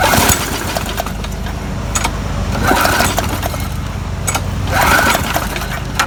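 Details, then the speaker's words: Murray lawn mower, ran fine days before, tank filled by someone else, primed three times, about 70 degrees: rough pull-start bursts turn over but never catch; fuel found about half water, no-start. "this is what was in the lawnmower you see that water floating in the bottom there [Music] it's actually about half water so that's why i wasn't starting"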